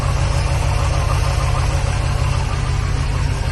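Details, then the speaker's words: Chevy C1500 with an HT383e V8 at idle after fitting an IAG V3 air/oil separator for crankcase ventilation: deep, smooth, steady rumble with no ticks or knocks. It is much quieter than the previous setup; normal. "Very quiet. It did not sound like that with the other setup."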